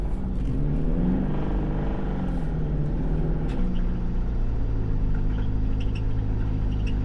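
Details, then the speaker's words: Car with an engine already known to be toast, recorded while driving: rough uneven engine note with a knocking undertone through the revs, sounding much worse than before; engine knock, cause unknown. "Oh no, I hear some shit. It doesn't sound good. Oh, it sounds so much worse. I think I finally killed it."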